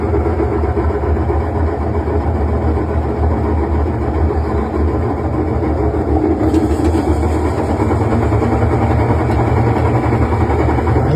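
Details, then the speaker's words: Washing machine spin cycle after replacing the shock absorbers: even, steady low rumble with no banging or wobble as the drum spins up; normal spin after repair. "Ahí está empezando a agarrar vuelo ahí está ahí se parejito"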